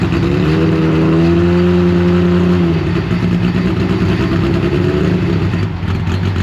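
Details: Rebuilt Deep Orange 9 engine on its first start attempt, supercharger not refitted and starter fluid sprayed in. It is held on throttle with wavering revs that sag toward stalling when let off and won't idle on its own. The cause is suspected, not confirmed.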